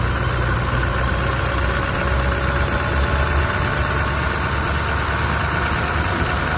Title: V8 ENGINE NOISE of a faulty camshaft 1VD ENGINE